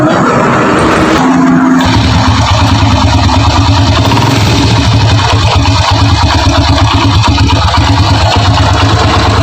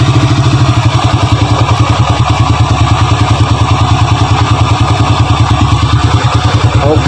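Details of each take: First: Honda Grand single-cylinder motorcycle at idle after a brief blip, brought in for diagnosis: a coarse, uneven rattle from inside the engine points to worn internal parts needing teardown; the customer supplied replacement parts, yet to be verified. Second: Honda Grand (customer's bike, brought in for a rough internal engine noise complaint) idling at night before teardown: steady single-cylinder beat, firm regular pulses, no clatter or knock on top; sounds healthy here.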